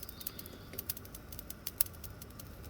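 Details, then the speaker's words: Nexgrill 5-burner propane grill after replacing the push-button spark igniter: sharp irregular snapping clicks over a quiet hiss, no ignition whoosh; spark fires but end burner never catches while the others lit. "Yeah, that one may not work. That's this one right here I'm looking at. For some reason that's not lighting."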